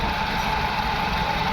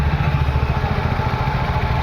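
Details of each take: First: VW Vento petrol engine after repair of a misfire and pickup loss (P0300/P0201, cylinder 1 injector had no current, now pulsing). EPC and check lights are gone, vibration is zero, and it idles smoothly and evenly with no missing. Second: VW Vento petrol engine idling with a lumpy, uneven beat: cylinder 1 misfiring because its fuel injector gets no pulse from the ECM though main supply is present; coil and plug fine; P0300, P0201, EPC light, pickup loss.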